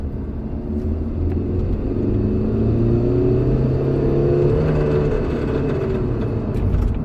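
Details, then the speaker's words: 2007 Kia Sedona CRDi diesel in limp mode (P0087/P0088) under load, revved hard in second gear to about 3000–4000 rpm while driving: steady climbing drone with a light ticking rattle; owner unsure whether something loose near firewall or mechanical. "okay so either it's a kind of fun although it's like a rattling noise I'm not sure if he's something loose on the firewall area or if it's a if it's a mechanical issue"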